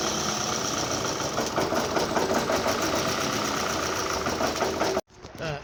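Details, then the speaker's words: 2009 Toyota Camry after a new fuel pump assembly was fitted (fuel pressure about 3.5 bar): engine runs with a rough, uneven beat under a loud hiss; misfire on cylinders 2 and 3, codes P0300, P0302, P0303. "Yeah, at the moment I got a cylinder number 2 and number 3 show full coat misfire."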